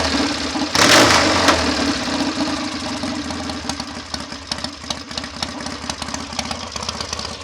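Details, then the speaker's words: BSA A65 Hornet twin at idle, set faster than ideal, ticking over with a loose uneven beat and occasional falter; new plugs, swapped carbs, jets and leads changed little; right-side stammer off tickover remains, thick fibre jet-holder washers needing change. "you just hear the occasional falter while it's ticking over I took a lot of work and effort to get it taking over this well"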